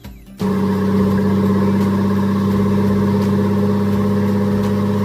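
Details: Turbocharged Nissan GQ Patrol on an eBay kit, first start after the install; it catches after a brief crank and runs steady and even with no knocks or rattles, making all the right noises and more responsive than before.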